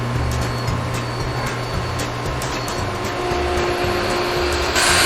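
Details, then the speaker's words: Pentair Clean and Clear Plus cartridge pool filter after cleaning: pump energized with safety valve open, motor hum with steady hiss of trapped air bleeding out, surging near the end until water reaches the valve. "You can hear the air coming out of the valve, and I can feel it. So the water's coming up."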